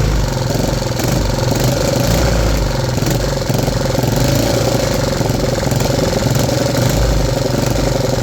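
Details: 3D-printed 125cc single-cylinder four-stroke engine after vacuum-leak fixes including 3D-printed valve stem seals with O-rings: steady, even thrum at constant speed with no stumbles or misfires; normal running.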